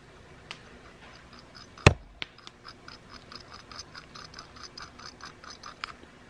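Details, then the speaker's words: Factory idler pulley spun by hand gives dry gritty ticking, several clicks a second fading as it slows, with lots of bearing play; worn idler bearing causing the engine noise, replaced with new silent pulleys after another one blew up. "so that's the noise guys hundred percent I know that's the noise that's the noise that it was making"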